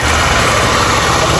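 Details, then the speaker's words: Motorcycle with engine-fault light on: harsh metal-on-metal clatter from the top of the cylinder over a busy, loud engine note when revved; mechanic suspects something came loose, needs opening to confirm. Metallic top-end knock. "É, tem um barulho aí, ferro com ferro. Tá impressionante, entendeu?"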